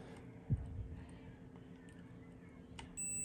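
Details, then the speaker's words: Inverter split AC outdoor PCB, multimeter in continuity/buzzer mode across SMD capacitors near main IC: quiet bench hum then steady high-pitched continuity beep across one capacitor, reading as a dead short. "ये देखिए ये capacitor beep कर रहा है।"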